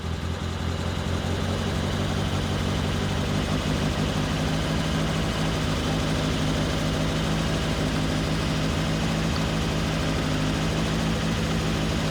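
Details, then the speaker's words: Turbo Miata, first start after the ignition timing was set, with the wideband sensor not working: a steady, even idle with no misses or knocks, sitting a touch high; the idle is otherwise okay. "First start after timing set. It starts. Idle is okay. It's idling a little bit high."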